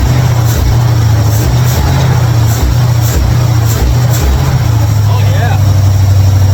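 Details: 1955 Chevrolet Bel Air carbureted after adjusting mixture screws; deep, loud, fairly steady idle, idling way better than before.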